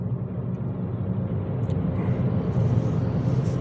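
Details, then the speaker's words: 2007 Ford C-Max at 230,000 km, cruising around 60–70 km/h: steady low drone under the road noise at constant pitch; a front wheel hub bearing is humming, side not yet identified. "ну вот через двести тридцать тысяч загудел подшипник и сайте 230000"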